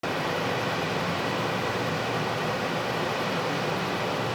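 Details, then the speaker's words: Cryptocurrency mining farm right under apartment windows, heard from inside with the window open in the evening: constant, unbroken airy roar of huge cooling fans, no beat or rhythm; steady drone, day and night. "А так слышны эти огромные вентиляторы. Такой шум вечером с открытым окном внутри квартиры."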